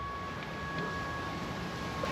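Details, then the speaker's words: BMW M5/M6 with S85 engine and SMG gearbox: a faint, steady, constant-pitch hum on opening the door is the SMG hydraulic pump priming the system, which is normal. No hum may indicate an SMG pump issue. "That's the SMG pump priming the system. If you open the door and you don't hear that humming noise, then you might have an SMG pump issue."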